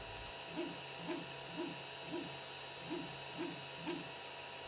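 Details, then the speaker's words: Creality CR10 3D printer after fitting NEMA 17 stepper vibration dampers: motor hum reduced, but a buzzy rattle about twice a second remains on X-axis moves from the loose metal pin of the BLTouch-type probe on the printhead. "vibration noise is pretty much still there to my surprise on the x-axis movements I can hear the same vibration noise coming from the printhead which is caused by the metal pin on my bill type sensor"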